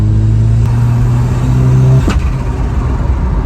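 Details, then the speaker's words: Ford Sierra Cosworth turbo, checked at a petrol station stop: pulls with a steady drone, then the note breaks up and falls off under load; not boosting well, owner suspects it's blowing the spark out, unconfirmed. "I'm going to take this back and I'll get the Subaru. It's like it's blowing the spark out or something, I don't know."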